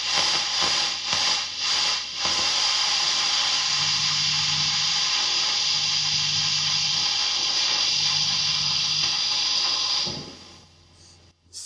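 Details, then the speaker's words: Fender ProSonic valve amp on the bench after a full recap, miked at the bench cab. On the second channel, bright hiss with faint rustles and crackles as volume and treble turn: dirty pots. Extra hiss is just the bright cap. "Both the volume and the treble are they're not noise free. It's a fair way of putting it. There are is some rustling going on, bit of crackling."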